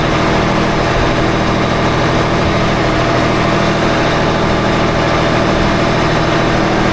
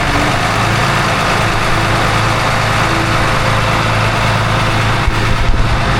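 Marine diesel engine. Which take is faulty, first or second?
first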